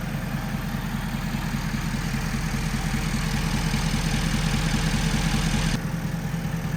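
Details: 2011 Ford F-350 6.7 Powerstroke diesel after unpinching the CCV hose that pressurized the crank and kept the turbo from draining oil: steady even idle with regular low beat, no misses or knocks, exhaust clear, no crankcase pressure; normal idle.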